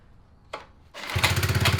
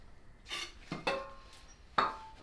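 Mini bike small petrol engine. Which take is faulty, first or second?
second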